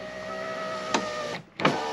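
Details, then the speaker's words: 1985 JDM Toyota Corolla FXGT (AE82) passenger power window: smooth even motor whir then soft clunk at end of travel; fully functional, a little sticky. "fully functional passenger window it's a little sticky but it works as well"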